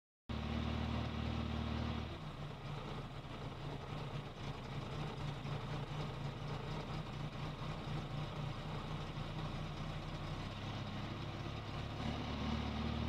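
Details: Volvo 480 with B20F engine: runs with an uneven throb of roughly four pulses a second, not quite regular; running rough, cause unclear.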